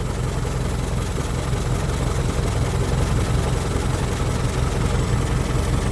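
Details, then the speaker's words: 1925 Ford Model T, electric-started on battery, throttle barely open, speed reduced and spark advanced until smooth: steady fast low chuffing idle, even beat, background hiss, no misses or knocks; normal idle. "and remember to uh reduce the speed a little bit and Advance the spark until the engine Smooths out"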